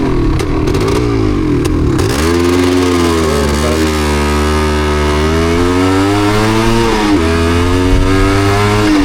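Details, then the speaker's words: Yamaha DT250MX two-stroke on Essex byways: revs rise and fall unevenly with stumbles and sudden pitch drops, misfiring and struggling to stay running; plenty of fuel, rider suspects water on the plug, not confirmed. "Dear, oh dear, not so good, is it? Got plenty of fuel. Sure we have. Guess it's just water in that."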